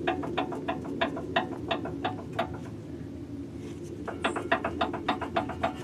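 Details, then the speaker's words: 2007 Honda Fit, car raised, sway bar rocked by hand: quick sharp knocks about three a second from worn sway bar end link, clunks over every bump; fixed by replacing end links. "every time i hit a bump that's the sound it makes"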